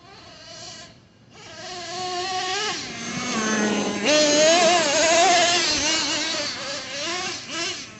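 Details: Traxxas nitro RC engine restarted after a hot run, shut off by pinching the fuel line rather than covering exhaust: high buzz settling into a mellow firm idle between throttle blips, not boggy; healthy idle.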